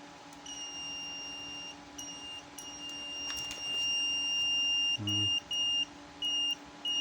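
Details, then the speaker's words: Photocopier sensor wired via jumper cable to a tester, triggered on and off: high steady electronic beep switches on with the LED, off when blocked, so the sensor works. "Nah, kalau ada bunyi bip lampu menyala itu tandanya sensornya bekerja."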